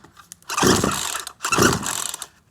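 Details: Certified-refurbished Poulan Pro PR4218 42cc 2-cycle chainsaw with an 18-inch bar, chain brake off. Two quick ratcheting pull-cord strokes about a second apart, with no firing; the saw cranks but won't start.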